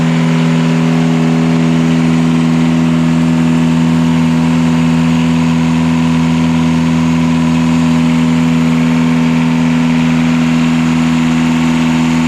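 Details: Catamaran diesel genset bench-run under load after two swapped controller wires (full-throttle runaway and shutdown) were corrected; steady even drone, smooth low hum, constant speed, no knocks or misses: normal running.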